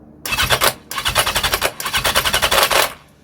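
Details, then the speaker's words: 1982 Yamaha XJ750 with cleaned carb, won't start even with starting fluid: fast metallic rattle from the starter in three cranking bursts, engine never fires. "hear that rattle that's the um starter"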